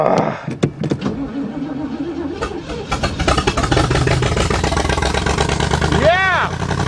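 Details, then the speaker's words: Chevy that had run out of gas: after sputtering cranks while fuel is drawn through, it catches and settles into a strong, even rumble that picks up cleanly on throttle; normal running. "now that's what a chevy is supposed to sound like see it was just out of gas"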